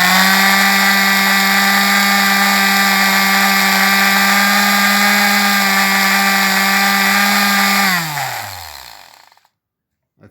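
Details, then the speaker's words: Ryobi sander after loose screws that had let vibration shift a part out of position were refitted, having earlier run slowly; now a steady, even high-pitched hum at constant speed, winding down smoothly when switched off. About 99% better. "Uh all that I do is with the test, it vibrates so much that it settled in its position and the screws was loose. And after I uh refone that it run now fast and nice."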